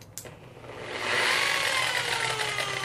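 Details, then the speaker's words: Polisher whose lowest setting is 1,000 rpm: motor whine jumps up then wavers and sags instead of holding speed; speed surging. "hear how it took off real hard and a lot of times it will just start cycling back up and go from a thousand to two thousand to twelve hundred to eight hundred a thousand then it won't work"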